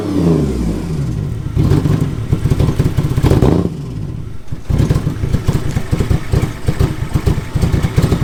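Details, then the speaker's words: Ford Sport Trac just regaining power, possibly flooded with fuel: stumbling, uneven firing that clatters on each blip, smoothing as revs climb; rough running, cause unclear. "sounds like it was running better once you got it up in the rpms it stopped running like crap"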